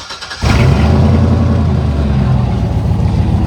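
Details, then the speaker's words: Chevy pickup, manual, just started: catches quickly into a rough, loud, low raspy idle through a crappy, leaky-sounding exhaust with a little white smoke; owner suspects a bad valve seal, not yet fixed. "It's kind of a crappy exhaust plus a little white smoke actually."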